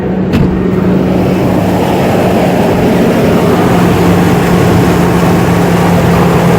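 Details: Old diesel van long left sitting, just started cold with a lithium jump pack: steady even diesel clatter at idle with constant low hum, no misses or knocks; running normally, alternator charging.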